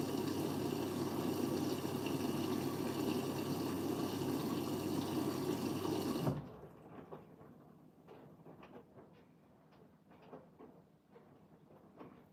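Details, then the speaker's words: Siemens 9 kg washing machine, Eco 40-60 with an 8.35 kg full load: water rushes steadily through the i-Dos dispenser for six seconds, then cuts off to drips and trickles; normal fill. "Okay. So now it's flowing through the IDOS bit again."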